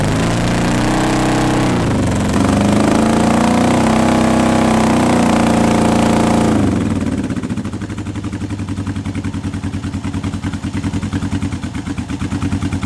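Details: Old Honda CB750 K four-cylinder project bike, first start in years on unleaded petrol with choke on; rough, lumpy idle loping about three times a second. Misfire, seemingly running on only two cylinders; owner had expected a coil fault, cause unconfirmed.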